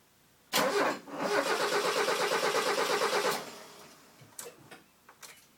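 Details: Mazda 323 GTX, no start after TDC work: starter spins the engine steadily for nearly three seconds, no cylinder fires, then stops; cranks but won't start.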